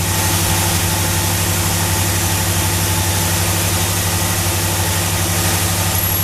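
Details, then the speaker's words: Olds 350, mild with RV cam, Edelbrock intake, HEI, timing 16°, new Street Demon 625 cfm carburetor replacing a leaking QJet: smooth even idle about 750 rpm, reading about 18 inHg vacuum, regular firing, no misses or knocks; normal warm idle. "the regulators that can read about 19 inches of mercury and lower idle Vidal said about seven seven fifty it'll read about 18 inches of mercury there"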